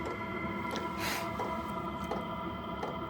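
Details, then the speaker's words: Diesel air heater running, reached temperature: soft regular fuel pump ticks under a steady fan hum, spacing out as it drops into economy mode; normal operation with plenty of heat. "so you can hear the pump there's the ticking sound in the background is slowing down and there's still loads of lovely heat coming off here"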